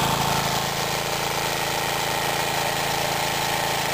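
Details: Mid-1950s Clinton 3 hp single-cylinder engine, cold start, driving a belt-driven 110 V 60-cycle generator lighting a lamp: steady, even chugging under light generator load, no misses or knocks; normal running under load.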